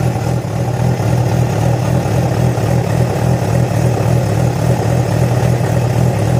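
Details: Yamaha FZ6 four-cylinder with a rough, uneven pulse of about three per second under its hum; began after riding about 70 km on two cylinders due to a failed ignition coil connector; no clear cause.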